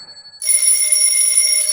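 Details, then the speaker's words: Old telephone bell ringer with stranded bare wires, powered up: bright continuous clang for about a second and a half, striking properly but not ringing continuously; the screw then came out. "I'd like it to just keep ringing CU then I can adjust it but it's not"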